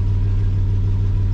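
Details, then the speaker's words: 1993 Chevy Silverado 4.3 V6 automatic, which stalled on cold start idle, now idles smoothly and steadily with no hunting after replacing the fuel pressure regulator. "that's it guys idling no problem before we're searching we want it to die every single time"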